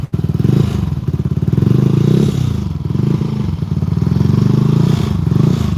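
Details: Benelli 135 motorcycle running: busy, uneven metallic rattle over the low firing beat; source unclear, possibly valvetrain or clutch side, loose fender vibration also suspected of making noise.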